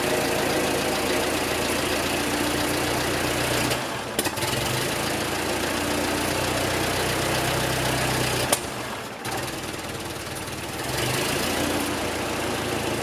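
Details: Ford 9N tractor under restoration, first start still on trailer after about 4 days of tinkering, PTO clutched out: rough, loose idle with steady low rumble and brief dips; normal idle.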